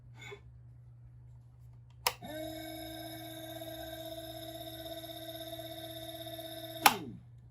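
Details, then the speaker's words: Small DC motor, probably rated 36 V, run at 12 V from an old PC power supply converted into a DC test station: a clean, steady hum starts sharply, holds an even pitch with no rattle or grind, then stops; it works fine. "Yeah, and it works fine. That's 12 volt."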